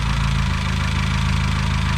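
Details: 2007 Honda Civic idling after replacing a bad ignition coil that caused shaking idle and a cylinder misfire code: steady even low rumble with no stumbles or skipped beats; misfire gone.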